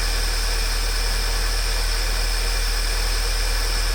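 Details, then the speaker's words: Volkswagen CC at cold start idle: light fast rattle under the engine drone from the worn cam-driven high-pressure fuel pump atop the valve cover, heard only at cold start, left unrepaired; oil pressure light on and oil level low. "the high pressure fuel pump which sits on top of the Val cover and is driven by the cam shaft does tend to wear and degrade this is a normal characteristic of this year maker model so we are just going to leave it as is because we only hear it at Cole startup"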